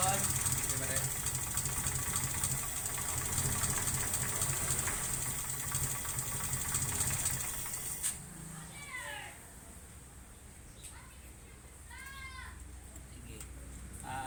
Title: 4g33 rough idle due to vacuum leak